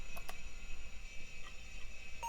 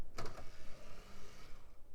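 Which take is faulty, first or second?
second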